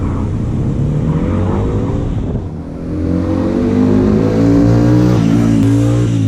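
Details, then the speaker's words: Hyosung GT125R 125cc: steady single-cylinder drone climbing in pitch with revs, coarse uneven edge, rough under load; owner suspects the air filter is half the reason, not confirmed. "Yeah, I'm going to get home and we can do the air filter, because I think that's half the reason why it sounds like an absolute bag of crap."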